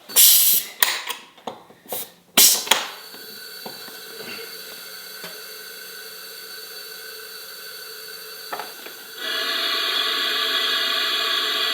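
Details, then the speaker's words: Honda CFR250R dirt bike leak-down test at TDC compression, 50 PSI in, radiator cap and dipstick removed: steady air hiss swelling midway, pressure escaping via throttle body; leaking valves, possibly slightly off TDC. "Some bad news here. It is the valves and we can hear it being the valves. So, there's pressure running through 50 PSI going in and we have a leak clearly."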